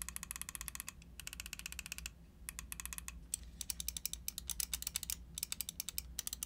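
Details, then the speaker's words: Pulsar Xlite V2 and V2 mini wireless gaming mice with Kailh main switches: quick, crisp button clicks in bursts with clean release and no rattle, indicating normal, healthy buttons. "now the buttons on these mice are also very nice very crispy they're using kales up here"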